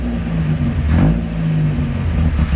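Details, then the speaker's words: 1959 Alfa Romeo Giulietta, about 2,700 miles since work, parked a few years, choke off: engine barely holds a lumpy, sagging idle and had just died; suspected too little fuel in the idle circuit, plan to back out the mixture screw. "could probably try backing the air fuel mix out cuz what it's what's there's not enough fuel at idle in the idle circuit. So, if you back the fuel the air fuel mix screw out, it gives it more fuel."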